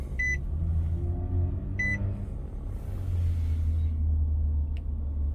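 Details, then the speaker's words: 2012 Nissan Murano with blown head gasket, seventh day after adding K-Seal Ultimate: low, even idle rumble, steady with no misfire or stumble, two short chimes heard; engine running normally. "hello today is the seventh day of this trial of the K seal ultimate product I added 7even days ago just exactly about this time and all these days has been uh working looking pretty good"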